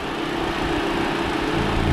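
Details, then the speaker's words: 2013 Chevrolet Spin LTZ, petrol, manual, bonnet open: smooth, constant idle hum, no ticking, knocking or hunting; engine very smooth, no blow-by, dry and healthy. "dan saya akan membuka mesinnya nah ini untuk suara mesinnya masih sangat halus"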